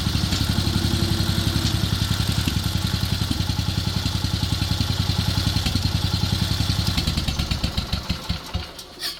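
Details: Wheel Horse 857 garden tractor single-cylinder, warm, after taking fuel out of the carburetor idle circuit and main jet: regular, even thumping at a steady pace, then slows and stops cleanly; runs smoothly, no stumble or misfire.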